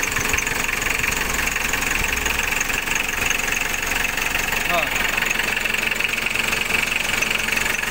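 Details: Diesel after full engine rebuild, started cold after injection pump seal replaced: steady idle with a sharp regular tick about three times a second over the clatter; cause unknown.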